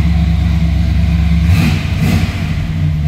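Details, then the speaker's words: 1939 Plymouth two-door street rod, about 3,000 miles, just started and still warming up; deep even rumble with a short smooth rev blip, no misses, knocks or ticks; healthy running engine. "Very nice sounding and running car."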